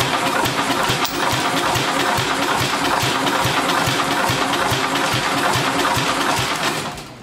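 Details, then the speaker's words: Vintage Wisconsin engine with a compression tester fitted: slow, labored, uneven cranking at about 2.5 beats per second that drags and dies away; the battery is dead. The gauge read roughly 25–40. "now i don't know how accurate this this thing is but it seems like it's really struggling or just batteries battery's dead"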